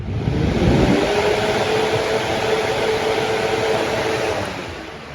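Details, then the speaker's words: Lasko 3733 box fan fitted with an oversized 1.1 amp motor, rear grille removed, phone held by the motor: startup whir climbs quickly to a high, steady tone as the blade overspeeds, dangerously fast. "it not really it spins up too fast and is actually quite dangerous because I'm putting my phone right by the the motor and this blade is spinning so fast it probably would injure me pretty bad if I put my fingers in it"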